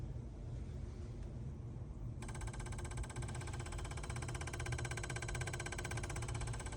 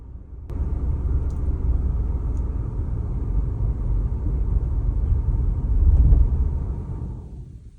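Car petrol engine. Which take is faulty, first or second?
second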